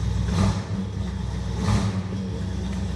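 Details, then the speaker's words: 1978 Ford Bronco V8 with Edelbrock carburetor, after setting ignition timing and carb work: two crisp throttle blips over a deep steady rumble, no stumble or hesitation anymore; normal revving. "Yeah, there's no hesitation in this thing anymore."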